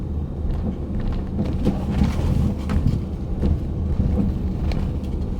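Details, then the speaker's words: Ford Edge driving over rough parking-lot pavement: dull irregular low clunks from the front end when suspension drops on one side; front suspension knock, not necessarily strut mount, part still unconfirmed. "so it's just a knocking noise in the front end a lot of folks will uh assume it's a strut mount or a suspension p uh part"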